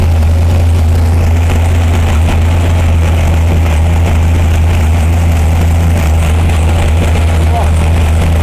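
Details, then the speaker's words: 572 cubic-inch Hemi on the dyno, about 220 psi cylinder pressure, warming up on 94 octane after earlier backfires: deep, even V8 drone at steady speed with no pops or bangs; normal running, though coolant is leaking at the head gasket. "we finally got it to run with the air fuel ratio we got no flames we got no backfires"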